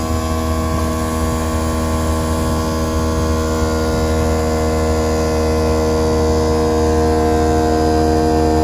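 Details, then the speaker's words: Airlift WirelessAir compressor on a 2017 Ford F450 with Airlift Loadlifter 5000 Ultimate Plus airbags, mounted on the inner cross member, inflating the bags up from 5 PSI. A steady, even electric hum at one pitch with no rattle: normal operation. "You can hear the compressor working. Again, the compressor is attached to the inner portion of this cross member right here."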